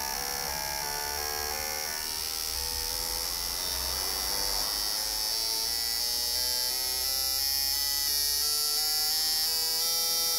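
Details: Injectors from a 2009 Toyota Corolla 1.8 with slightly oscillating idle, bench flow and equalization test after cleaning: fast, even clicking with a steady buzz; all flowing 83 to 84, injectors healthy.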